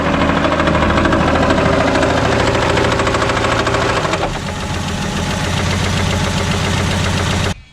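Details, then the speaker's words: 1978 Plymouth Volare slant six at idle after adding Lucas oil additive: steady deep knocking about three per second, persistent until shutoff; bottom-end knock unchanged by the additive. "Well, the Lucas didn't work, guys. What are you gonna do? I knew it was too good to be true."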